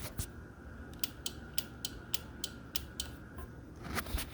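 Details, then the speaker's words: Motorcycle air horn install, relay wired to the original horn connectors: crisp click repeating about three times a second over a faint steady tone as the horn button is pressed; relay switching properly. "Alright, so again, once you get these 2 connectors in from the original horn, make sure you press your horn and you hear that relay click."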